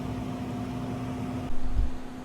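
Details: 2 ton heat pump evaporator blower with a newly installed Fan Handler HP-240, with supply air at 56–57°F nearing the 55°F target: steady low fan hum with a faint constant tone, no rubbing, leveling off at speed; normal operation.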